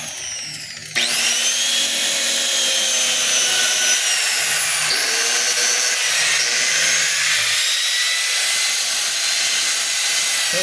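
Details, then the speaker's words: DeWalt DWE8200PL 4-inch angle grinder, deadman switch, free-running opened for estimate: high, steady whine with gritty edge and wavering pitch; tagged bearing fault, suspected bearing or gear and pinion; carbon brushes also short. "hindi siya ganun kasiklab mga kabay, pero maingay siya. Ayan. So yung ingay na yon pwedeng sa bearing, pwede rin doon sa kanyang gear and pinion."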